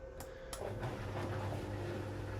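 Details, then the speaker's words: Miele Novotronic W1613 washing machine on a 95-degree cotton test wash after an F63 error repair: two quick clicks, then a steady low hum. The drain pump runs smoothly and normally. "Right, it's doing a drain out. Previously, this fellow was doing its rotating business, but it seems happy enough."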